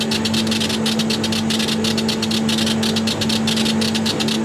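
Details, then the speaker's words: Chinese CO2 glass-tube laser cutter (RDWorks) etching glass at 200 mm/s with high-impact pre-ionization: loud steady hiss with fast rhythmic fizzing bursts over faint hum from very short pulses. "can hear how hissy and noisy it is now we're up to 200 mm a second you can hear this is a much longer his"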